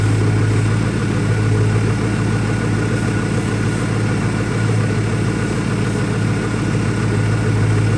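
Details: 2001 Ford Mustang Cobra idling rough with an irregular, loping low-pitched beat that wavers and stumbles; new Bosch plugs fitted, owner vacuum-testing for leaks, cause unknown.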